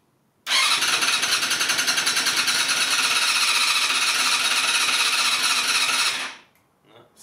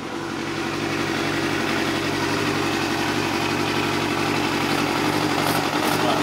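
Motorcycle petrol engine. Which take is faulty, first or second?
first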